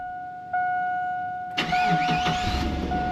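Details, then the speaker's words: 1999 Chevrolet Silverado after fuel filter replacement, starting after the pump was primed with the key since gas was drained: two-tone chime, short crank, catches at once and settles to an even idle; no fuel leak. "and there's not and it's running smooth so perfect"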